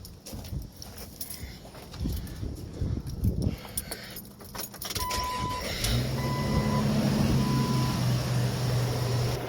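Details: 2005 Jeep Wrangler started after power steering hose replacement to check for leaks. After keys and handling noise the engine catches and settles into a steady, even idle with no knocks, squeals or hiss, and no leaks are found top or bottom.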